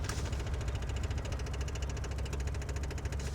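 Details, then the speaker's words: Sling TSI aircraft before engine start: soft, steady low hum with faint even ticking, no rattle or surging; electric fuel pump running normally, quieter because not mounted directly on the metal panel. "How soft that little pump is running? It's a lot quieter because it's not sitting right on the metal panel."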